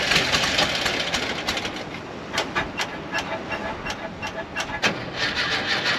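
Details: 1968 camper bus engine after freeing a stuck valve, new pushrod and pushrod tube fix, started on charger boost: uneven irregular popping at fast idle with no steady beat; rough running, owner suspects old points or rich carburetor.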